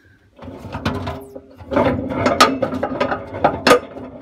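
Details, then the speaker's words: Hotpoint First Edition FEW12 washing machine left outside for months: loose, irregular clunks and rattles as the drum is rocked by hand, huge play; drum bearings badly worn, sealed tub. "it's pretty gross but you're in for a treat if I do this it's almost like there isn't any bearings"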